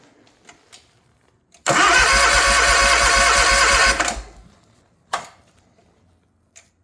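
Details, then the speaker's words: Hustler Surfer Pro mower: the starter chugs fast and evenly for about two seconds but never catches, because the choke is in the wrong position. "see it doesn't start when you have that up push it down push the choke [Music] up"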